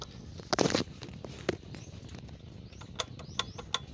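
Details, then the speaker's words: Shaken AC compressor clutch damper gives loose, irregular clicking and light rattle; damper is cracked or torn. Freon to be drained and compressor removed for inspection. "Ayan, naririnig nyo yung ingay. So yan yung ingay ng damper."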